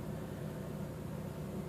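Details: Smooth, even idle rumble with no stumbles, skips or rpm hunting from a 2001 Chevy Malibu after new spark plugs, wires and coil packs; previously rough idle, jumping rpm, flashing check engine light and P0300 random misfire; now idling cleanly.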